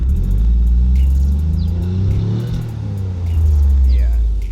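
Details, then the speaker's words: 1991 Mitsubishi 3000GT VR-4 at full throttle after a TPS sensor fix: deep engine roar swells and sags, never sharpening or climbing in pitch; still bogging under acceleration, cause unknown, TPS still suspected. "it's still bogging for some reason as if it's not getting acceleration um like if you can hear that that's just um me rip just stomping on the gas it should be a lot more crisper than that"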